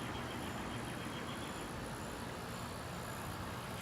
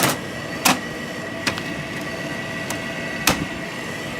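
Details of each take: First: Friedrich 12,000 BTU window air conditioner, heard from outside: steady, even rush of fan and compressor with no knocks, rattles or pitch changes; normal running. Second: Air conditioner unit at start-up: a few knocks, then a steady hum with a thin high whine riding on it; worn fan motor bearings.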